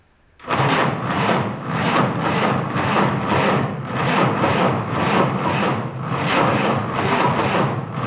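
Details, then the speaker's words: 1949 Willys F134 engine, spark confirmed, fuel poured into leaking carb: slow steady starter chug about three beats a second, never catches; cranks but won't start. Owner suspects carb needs attention or engine not turning over fast enough. "I think we're getting close. Doesn't quite want to pop off."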